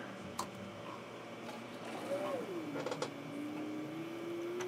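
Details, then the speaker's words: Power Mac G5 Quad at first power-on with the side cover off, checked for coolant leaks: after clicks, a soft tone sweeps down then climbs as the fans and water-block pumps spin up; normal startup. "sounds like quad g5 to me water blocks spinning up there we got life it's a little loud one of that's because I've got the side cover off of it"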